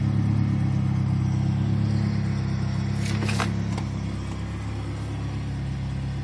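Steady low idle drone with a faint crackle and a brief hiss burst midway; something sounds off in the turbo engine, cause unclear.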